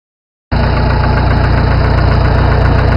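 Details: Farmall 450 tractor engine idling with a steady, heavy knock of roughly four beats a second; engine needs a rebuild.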